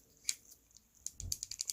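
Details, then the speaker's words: Axial SCX10 III RC crawler transmission turned by hand during teardown and greasing: irregular light plastic clicks and rattles from the dig locking plate, chatter and slop when locked and unlocked; lack of grease blamed. "because there's a piece that looks like that back here that this piece locks into, and that's that chatter. You know, it's not there all the time when you're running, but it can get annoying."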